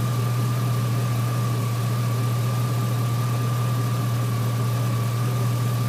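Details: 2003 GMC Sierra SLE, 4.8L V8, idling with a replacement junkyard 105 A remanufactured alternator; smooth idle, faint constant whine over a low hum, no knocks or stumbles; 14.2 V at alternator; normal idle.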